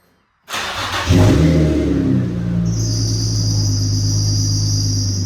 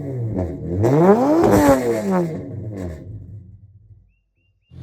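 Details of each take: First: Nissan G35 sedan drift car, VQ35DE reinstalled with new engine mounts and stock exhaust manifolds, cold start after coolant top-off: catches cleanly, quick flare, settles to deep steady even idle; healthy. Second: Nissan G35 sedan VQ35DE drift car revving before engine pull; sharp climbs with a thin, metallic, ear-piercing rasp at higher RPM from aftermarket headers, to be replaced with OEM headers: tinny exhaust note.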